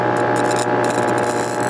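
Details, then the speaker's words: Armature on a growler, band-saw blade strip held on it: fast steady rattling buzz as the strip vibrates, the sign of induced current in a shorted armature winding. "if there's a short between windings current will flow which will make this and if currents flowing then there'll be a magnetic field developed in that winding with currents flowing and the uh the little strip of band saw will start to vibrate kind of like that"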